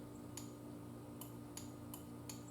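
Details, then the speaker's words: Yamaha Virago cafe build, in gear, clutch lever pulled: six crisp separate clicks at irregular intervals over faint hum; safety relay switching normally, allowing start with clutch in. "get it back in gear now if you pull the clutch in you'll hear that relay click"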